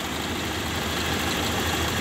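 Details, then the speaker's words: 2000 Toyota Kijang LGX 1.8 EFI petrol, engine idling after restart: steady, even idle with a smooth constant hum, no knocks, misses or rattles; engine in very good condition, no trouble on the road, normal idle. "kondisi mesin sangat bagus ya tidak ada trouel-trouel di jalan"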